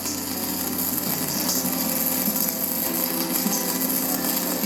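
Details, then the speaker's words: SMAW stick welding with correct arc length: a continuous high-pitched crackle, with no humming (too long) or popping (too short). "as you gain experience you'll learn that the quickest way to determine if the ark length is correct is by listening when the proper arc length is maintained you'll hear a continuous high-pitch crackling"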